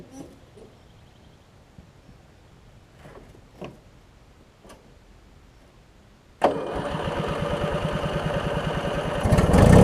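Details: About 20-year-old Craftsman riding mower with Briggs opposed-twin engine, after drive belt replacement and starter check: a few quiet seconds, then it fires straight away and settles into an even, steady run that picks up slightly; runs healthy.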